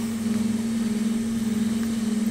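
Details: Holley VR2 electric fuel pumps, both at 50% duty cycle via ECU speed control, heard from the driver's seat in a quiet garage: even quiet hum, steady low-mid pitch, soft regular pulse, no whine or surging; healthy.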